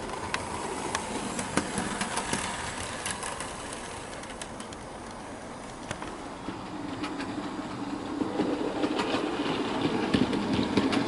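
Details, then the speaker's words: Bachmann OO gauge SE&CR C Class 0-6-0 steam locomotive during running-in without tender load: rail-joint clicks and faint chirping squeak repeating with wheel speed from the loco, not tender; owner suspects dry crank points needing lubrication. "so after this locals had a bit of running in it seems to be making a squeaking noise as you can hear that's definitely coming from the loco not the tender and so i think what i'm going to do is i'm going to put some lubrication on those crank points because i have a feeling that that might be causing the issue"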